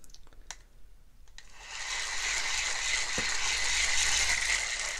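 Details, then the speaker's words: Shimano Stradic 5000 FK spinning reel, formerly seized and rusty, cranked by hand after a quiet serviced Stradic 3000 for comparison: loud, gritty, geary whirring grind through the whole turn; worn bearings, needs rebuild. "So you can tell that a few things are wrong. You can also feel a difference when you're actually spinning the handle. You can almost feel it being a little geary, and I'll show you what that sounds like."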